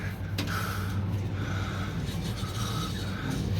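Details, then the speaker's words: Trane commercial rooftop package unit serving a manufacturing warehouse: soft scraping rasps as the blower wheel is moved by hand; the wheel came apart and rubbed its housing edge while running, noticed when the air filters were changed. "wheel came apart and rubbed The Edge until it h it was sitting there running until they changed the filters and heard the noise"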